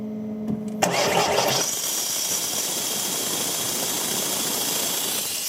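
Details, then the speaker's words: VW Crafter campervan that cut out and would not restart, starting with an exhaust sensor removed to test a suspected exhaust back pressure blockage; short crank, catches, loud hiss from the open sensor port over the idle. "if we open this up and the engine starts, then the theory is the back pressure is being caused from that, and obviously it's not going to flow great, but at least pressure is going to be able to escape via that."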